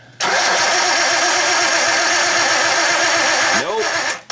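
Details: R32 Skyline with an RB25 harness converted to RB20, cranked after about 4 years sitting: the starter spins steadily for about three seconds but it never catches, no spark; coil packs and wiring tested good, cam angle sensor suspected next.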